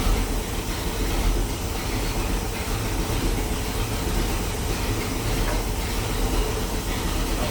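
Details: 1973 Pontiac Ventura, rebuilt 350 Pontiac V8, replacement carburetor after four-corner idle screws were set and mixture richened: even, steady low rumble with no pops or misses; popping gone, normal idle.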